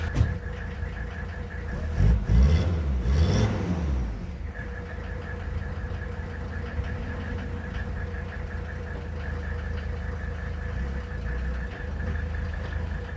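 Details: 1983 Mercedes 300TD (W123/S123) with OM617 diesel: steady idle with an uneven clack about three per second over the rumble; cause of the clatter not pinned down.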